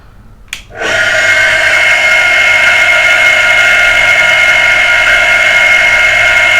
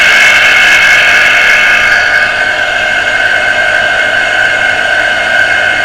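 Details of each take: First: Water pressure pump motor after servicing for a humming, non-starting fault; starts at once with steady, even high hum, no grinding or rattle, running freely; motor now fully fixed, ready to reassemble and refit. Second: Water pressure pump motor that had only hummed and not started, heavily jammed and beginning to free up after servicing, run on socket; steady high whirring hum with harsh gritty edge, no real rhythm; tight, dragging stiff bearing.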